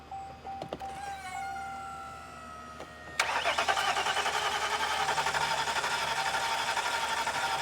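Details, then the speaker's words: Diesel truck that won't start after its cab was lifted, with engine and battery-related codes stored: strong even cranking that tries but never catches. Fuel delivery problem suspected, to be checked with starting fluid. Crank, no start. "So, I'm going to crank it. So, it cranks. It cranks. It sounds good, though."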